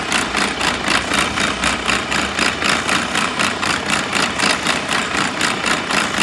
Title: Abnormal sound from gearbox MP4 Mercedes Benz AROCS PART 1